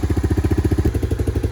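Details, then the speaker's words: Three-wheeler 250SX. Crisp, even two-stroke popping at about eight or nine beats a second, steady and unbroken. Clean normal idle. "Yes, sir. There she is. Runs like a charm, idles like nothing. And that is the 250 SX, ladies and gentl"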